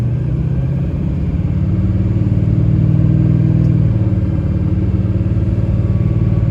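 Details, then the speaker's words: 2006 Chevy Silverado 3500 4x4, 6.6 Duramax diesel, 25k miles, test drive uphill: deep drone pulling steadily with one smooth pitch drop at a shift, no flare or slip; transmission runs through all gears flawlessly. "Runs through all the gears flawlessly."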